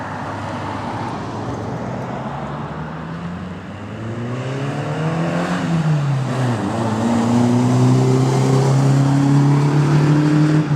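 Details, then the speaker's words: Toyota Tacoma 2.7L 3RZ, cold start after replacing the broken stock muffler with a 2-inch ID Thrush glasspack: deep exhaust drone rising and falling, smooth and moderately loud with no rattles or leaks; sounds like a truck, not that loud, normal exhaust note. "sounds like a truck. It's really not that loud."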